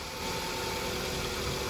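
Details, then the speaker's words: 2001 Toyota Highlander 2.4L 4-cylinder, fuel pump reinstalled, fuel pressure jumping to about 50 PSI: short, even idle with no misses or stumbles; engine runs cleanly and steadily, having earlier had an extended crank. "See that fuel pressure jump up? Getting up to about 50. The engine is running."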